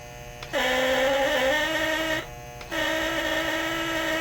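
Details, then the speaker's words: Lionel Postwar Santa Fe 2383 toy diesel locomotive horn after rewiring and tuning, two buzzing blasts stepping between lower and higher pitch instead of one tone; unstable horn pitch, cause unknown. "I can't make it consistent, and it annoys me. It's either low pitch or that higher pitch, and I cannot get it to pick one."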